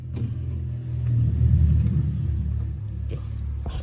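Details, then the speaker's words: Polytron single-door fridge not cooling, only light on: compressor draws 2.5 A, too high, and cuts out; deep strained heavy hum that never settles, then smoke; failing compressor drawing high current. "Oke, ini ampernya 2,5. Artinya mesin ini itu teman-teman ya, ampernya tinggi. Dan mati karena ampernya tinggi."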